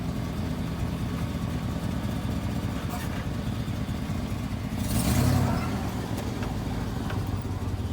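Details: High-mileage Chevy Silverado 6.0 V8 running with four-wheel drive engaged: a steady, even low rumble with no knocks or rough misses, sounding healthy.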